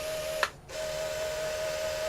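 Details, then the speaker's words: QIC tape cartridge fitted with a replacement 6" Plastiband tension band, running the return trip. A thin, steady, high squeal with one brief pause; the band is thought to be too tight and dragging. "well I don't like how it sounded the whole way but I was not expecting it to make a round trip I was not expecting it to remake around trip it's starting to squeak"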